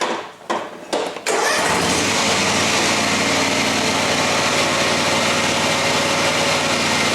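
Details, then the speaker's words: John Deere X304 four-wheel-steer riding mower, back in the shop with the same fault as two years before: catches after a few cranks and runs with a harsh, gritty grinding roar from a worn transmission drive pulley. "It's this here. It's this transmission pulley."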